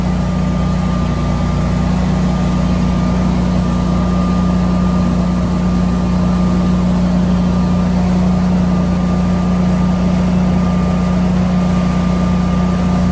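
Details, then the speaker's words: Newly installed Generac whole-home standby generator starting on a simulated power outage: a steady, even engine drone like a lawn mower with no misses, knocks or surging, running normally. "Sounds about like a lawn mower."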